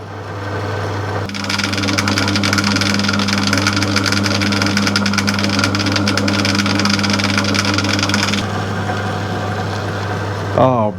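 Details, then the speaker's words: Plugged-in motor after refitting the belt and clearing loose items that caused rattles. Steady, even low hum with no rattle or knock, then a clean spin-down: the rattle is gone and the motor runs healthy. "yes that is it rattle gone excellent that's proper quiet"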